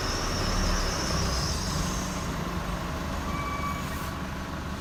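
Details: 2016 Chevy Colorado, 7k miles, creeping about 5 mph, brakes on or off: thin high squeak chirping over low rumble, gone when stopped or above 10 mph; traced to where the driveline enters the transfer case, service scheduled.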